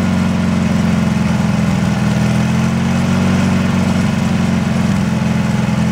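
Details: Briggs & Stratton 18 HP engine on a Wheel Horse Work Horse GT-1642 tractor: low, throbbing idle with a slightly uneven, wavering beat; rough idle, cause not yet pinned down.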